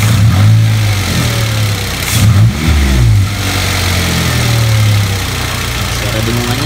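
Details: Toyota Avanza/Daihatsu Xenia alternator at idle and throttle blips: thin whine that climbs with revs. Owner suspects worn alternator brushes and plans to service it.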